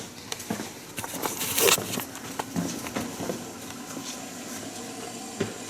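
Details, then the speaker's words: 1950 Buick Roadmaster, engine just shut off: soft irregular pops and crackles under the hood like coolant boiling. Little to no flow seen through the radiator, so it is suspected of running too hot; unconfirmed. "okay it sounds like it's a that sounds like boiling to me from the sound of that I couldn't really see any flow through that radiator to speak of so excited I think it's running too hot"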